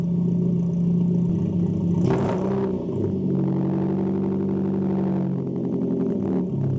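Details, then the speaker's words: Nissan 240SX with a 3" ISR straight-pipe exhaust after the resonator install, at idle: deep, loud burbling idle with a steady low drone and slight lope, throaty but not raspy, and quieter than straight-piped. Normal idle exhaust note. "Just at idle, this thing sounds a lot quieter. Hopefully when I'm driving around town it won't be so loud and obnoxious,"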